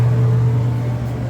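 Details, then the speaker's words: Fairly new clothes dryer kept outdoors, somewhat rusty: motor hums steadily and heats but the drum does not spin, no tumbling sounds; owner suspects the drum belt. "So you can hear it humming. However, the drum is not spinning, and I can feel it heating up."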